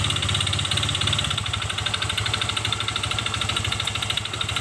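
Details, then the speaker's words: Honda Vario Techno 125 FI idling with the CVT removed: a harsh, loud, uneven clatter about three times a second over the engine note; the noise remains, so the engine itself is faulty, possibly a loose piston or worn connecting rod. "terdengar nyaring sekali ya teman-teman ini tanpa cpti bunyi kasarnya masih ada berarti ini motor yang kena atau yang rusak di bagian mesinnya di antaranya bisa dari Seher yang udah longgar atau dari Setang Seher yang oblak ya"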